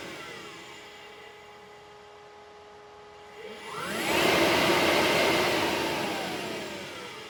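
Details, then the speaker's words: HPEVS AC-50 electric motor on a 144V controller with the motor type set to 75 as a test: smooth rising whir with no whine or squeal, clean and even through the speed change; motor still runs normally. "So, that's good. So, it still works. No No noise."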